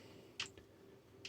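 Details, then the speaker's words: Marantz PM7200 amplifier after repair, no sound except via source direct: changing source gives relay clicks about a second apart, but the tape loop relay stays silent; suspected faulty selector relay. "this looks like a tape loop it's not been clicking so i think does something happen here"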